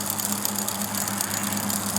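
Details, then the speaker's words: Bicycle rear derailleur deliberately turned counterclockwise out of adjustment: the spinning drivetrain gives a light, rapid rub-rub ticking as the chain, sitting too far toward the spokes, rubs the adjacent cog. "but this noise is right underneath this chain is positioned too far toward the spokes uh that's going to be rubbing"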